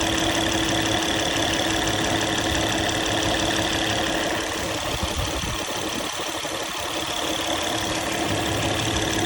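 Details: Engine idling after hydraulic tensioner replacement: steady, even idle with smooth low hum, no tapping or rattle from the front of the engine; earlier noise gone, healthy.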